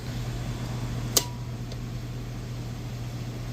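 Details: Condenser fan right after replacing the OEM condenser fan motor, capacitor and contactor and rewiring: one switching click, then a steady low hum with smooth, even airflow, no rattles or scraping; compressor also seems on; condenser fan running normally.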